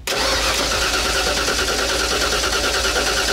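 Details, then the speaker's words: Older Ford truck with EEC-IV ignition, remote-start cranking: starter turns the engine at a steady, even pace but it never fires; test light at the coil shows no spark whatsoever. "no spark whatsoever"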